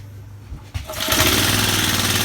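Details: Vintage Cooper Klipper reel mower, restarted after the crankcase was filled with 10W-30 oil. After a couple of pull thumps it catches and settles into a quick, even, buzzy run with no misses or knocking; normal running.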